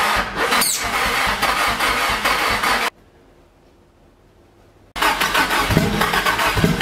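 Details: Nissan SR20DET first start after 1.5 years standing; start map and ignition timing known to be set wrong. Engine catches and runs ragged and uneven, cuts out and restarts unsteadily; rough running from incorrect ignition timing and start map.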